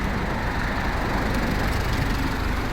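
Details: Isuzu D-Max All New diesel idling with air conditioning on after replacing the loudly squealing old compressor with a new piston-type compressor; even idle, no screech or rattle, vent temperature about 6.4–7.4 °C; compressor running smoothly and quietly.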